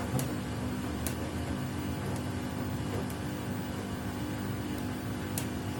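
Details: Samsung WW75TA046TE/SP washing machine, a same-model replacement on its sixth day of use. A steady low drum rumble with sharp knocks about once a second, louder than a normal wash. The noise gets louder each wash, and the cause is unidentified.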